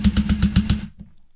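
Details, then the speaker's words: Ryobi 18V ONE+ cordless drill in screwdriver mode with the torque collar set: quick ratcheting clicks about eight a second for under a second, then silence; torque clutch slipping at its set limit. "The higher the number, the greater the torque needs to be before the clutch activates."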